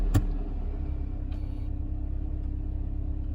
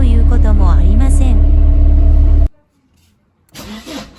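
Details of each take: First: Mercedes 190E W201 with M102 engine after battery replacement: clean start into smooth, even low idle with no rpm irregularity or metallic hiccup; previous hard-start problem, appearing after sitting over 48 hours, resolved. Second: Mercedes 190E W201 (M102) cold start without the accelerator: the engine catches, revs flare sharply then fall, with a metallic noise, before settling to a higher warm-up idle.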